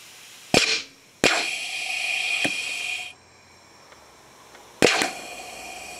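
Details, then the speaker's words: 3/4" inground sprinkler solenoid valve, electrically triggered via transformer, holding compressed air: sharp cracks and hissing air rushes as it snaps open; valve working normally. "I guess the pressure behind it, and it certainly is working."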